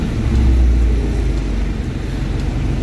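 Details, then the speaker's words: Isuzu Crosswind diesel with weak pull, throttle delay and strong vibration: low, heavy rumble ticking slowly and unevenly at about 600–700 rpm instead of 850; engine dies when the accelerator is released. "Okay so pag binitawan ko yung makina ang mangyayari ay yung accelerator pedal mamatay yung engine"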